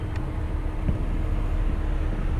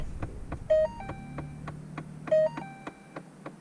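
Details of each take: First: 2012 Ford Fiesta after mode door actuator repair, engine running: steady blower hum and rushing air through foot and vent modes with no clicking behind the dash; normal HVAC mode door operation. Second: 2012 Ford Fiesta A/C: light, sharp clicking about twice a second from the dash when switching through A/C modes, turning A/C on or off, or first starting the car; a mode door actuator clicking.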